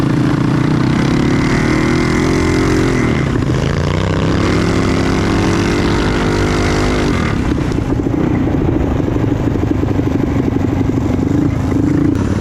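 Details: Trail Master MB200 mini bike with Stage 3 223cc engine, metal frame bushings fitted, heavy rider test: engine roars loud and steady, revs flaring without matching pull under load; rider suspects the drive belt is slipping, needs a new belt.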